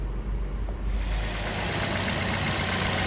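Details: Buick Encore Ecotec just after replacing coolant temperature sensor (code P00B7; previously false overheat reading, ~10 cranks to start), now starts right up: steady even idle, constant hiss over low hum, no misses or knocks; normal idle.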